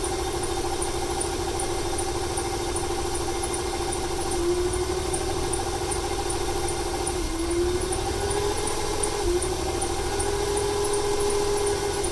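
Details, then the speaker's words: 1995 300 inline-six, over 400k miles: uneven stumbling idle misfire with faint wavering belt squeal after rain; stutter worsens on throttle, smoke from PCV; fuel or timing suspected. "It started to stutter there a little bit more when I applied the gas right off the bat. Wonder if it's a fuel issue or a timing issue."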